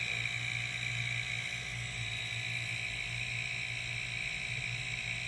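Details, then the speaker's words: Homemade silent airbrush air compressor, running after the ineffective water/oil separator was replaced with a moisture trap: steady low motor hum with a soft airy hiss, even and unchanging. Quiet pump running smoothly, nothing wrong. "like i said very quiet here a little buzz in there i think that's the motor running now"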